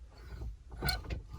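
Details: 1991 Mitsubishi Montero at idle: short high squeaks as the steering wheel turns, from friction behind the wheel; fixed by swabbing petroleum jelly behind the wheel.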